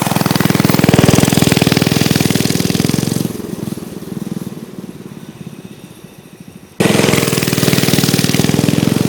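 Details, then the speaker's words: Old Manco mini bike small single-cylinder, taken from the shed with a broken recoil starter: rapid uneven beat that sags and stumbles for a few seconds before catching again. Owner suspects stale fuel and plans fresh gas before touching the carburetor; engine hesitation. "I think it could use some fresh gas. It's got a little hesitation to it, but I wouldn't do anything to the carburetor before I put fresh gas in it."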